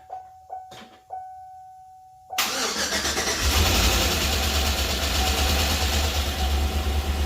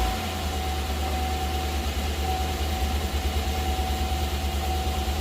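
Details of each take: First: Chevy 5.3 V8 after full AFM delete, new cam bearings and brand-new lifters, first start without coolant or all hoses hooked up: cranking clicks, catches and idles with quick even top-end tick; expected new-lifter noise until oil reaches them. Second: Chevy 5.3 V8 after full AFM delete and cam bearings, restart with no belt or accessories: steady low idle with even beat and faint whine, no ticking or knocking, good oil pressure; normal idle.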